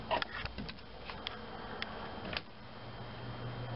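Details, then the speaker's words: 115 V fan motor in an RV air conditioner on a 2006 Fleetwood folding camper, on low fan: steady electrical hum with light clicks but no spin-up, would trip the breaker; it starts when pushed with a screwdriver; failed start capacitor. "there it goes so this is pretty much a classic start capacitor issue on 120 volt 115 110 whichever the way you want to put it AC motor"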